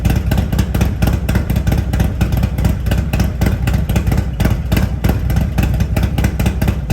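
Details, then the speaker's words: Harley-Davidson Road Glide at Stage 2 with an S&S 475C cam chest, professionally tuned to 114 hp, with TAB Performance exhaust: a choppy, lumpy loping idle with sharp exhaust pops; a healthy cam lope. "The difference is significant. The lope that the motor puts out now is just a great sound."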